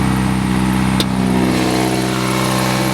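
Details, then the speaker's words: 2003 Toyota Corolla at idle, exhaust broken off just before the catalytic converter, check engine light on: a loud, raw, deep unmuffled roar with a steady throb from the rear. This is an exhaust leak, before a new exhaust system is fitted. "obviously check engine light because of the exhaust and because it cuts out right before the cat so there's no Cadillac converter essentially even though there is one it just doesn't work"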